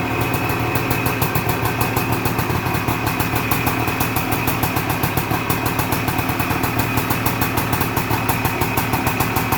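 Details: 1978 Suzuki PE250 two-stroke after year-and-a-half rebuild, first cold start: crisp even ring-ding popping at a steady fast idle with no misses or knocks; normal idle.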